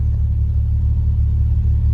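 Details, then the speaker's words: Engine at idle after cleaning the idle air control valve and housing with carb cleaner, 2.5-inch exhaust: deep steady rumble, slightly rough but no hunting, tach not jumping, no check engine light; near-normal idle, fix may only be temporary. "still running a little bit rough, but tack's not jumping and it sounds fine. So it always sounds like it's got a little bit of rumble because of the way I've got the exhaust ran."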